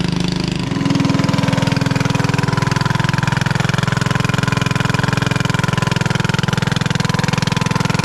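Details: 1996 Craftsman LT1000 Turbo Cool lawn tractor, engine on first start, running on carb spray with jump pack: harsh, very loud raspy blatting about 3.5 pulses a second; muffler or head gasket suspected, later found cracked muffler.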